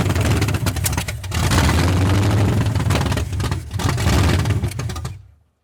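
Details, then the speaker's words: 1981 Ford Mustang 5.0 V8, parked since 1996, restarted on 14-year-old oil with no radiator, about 50 psi oil pressure: strong steady rumble with crisp throttle blips, no knocks or ticks; tight, runs like a fairly new low-mileage engine. "She's tight. It sounds like a fairly new engine."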